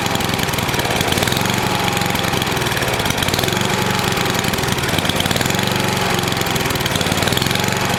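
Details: NOMA 8hp snowblower single-cylinder engine with the plugged gas line blown clear, warmed up for an oil change: a steady, even putter at constant speed with no stumbling or surging. It runs normally.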